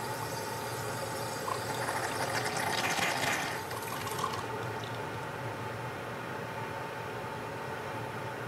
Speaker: the steam air and water that sputter are doing so in a pulse this pulsation is very indicative of an air leak